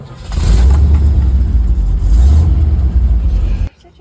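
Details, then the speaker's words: 1973 Toyota Land Cruiser that won't start when hot, during a cold start: catches at once, then revs strongly and steadily for a few seconds with a deep, even note; a normal cold start. "this is a cold start."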